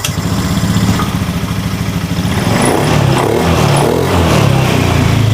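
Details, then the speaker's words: Honda Scoopy/Beat FI scooter, previously hesitating on initial throttle, after side-stand switch jumper and fault codes cleared: starts straight away, even idle, clean throttle pickup with no stumbling; runs normally. "Ternyata motornya di tarikan awal ini sudah bagus, tidak ada gejala berebet alias sulit."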